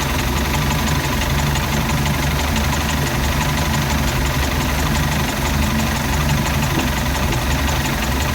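Deep idle that rocks unevenly with irregular thumps and a faint knock in the beat; rough-running marine engine, cause not pinned down.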